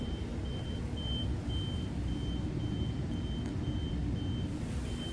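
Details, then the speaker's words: Equipment alarm in a mechanical equipment room, from NMR spectrometry equipment with a flashing light: high, thin beep repeating about twice a second over a low room rumble; cause unknown. "a flashing light in there and that little alarm beeping and that's coming from this danger dangerous spectometry and m/r spectrometry"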